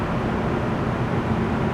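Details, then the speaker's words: 2001 Nissan Xterra 4WD, 158,000 miles, started easily on a battery taken from a boat, idling with AC running cold; steady even hum and low rumble with no knocks or ticks, the V6 idling smoothly. "Yeah, AC works great. Starts right up. So 158,000 miles. Sounds pretty good."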